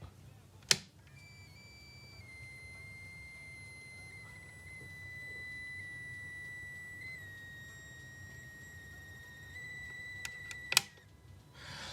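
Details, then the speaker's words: TP-Link AV600 WiFi extender plugged into the wall, otherwise working, gives a steady high-pitched whine around 2 kHz with a thin buzzy edge that it never used to make. Capacitor buzz; reportedly fixed by replacing a capacitor inside (a 470 µF 16 V cap is found). "this is working now it's supposed to but it's making a hell of a buzz that it never used to do when he's plugged into the wall it makes a buzzing noise"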